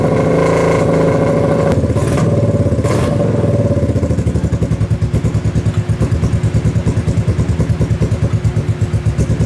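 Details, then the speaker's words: Kawasaki KFX700 quad running on fresh gas after carb cleaning, timing chain checked: uneven idle with irregular pops about three a second through the intake; still backfiring into the intake, slightly more throttle response, owner suspects stuck valve or timing chain. "Still is backfiring into the intake. It's a little more responsive on the throttle at least."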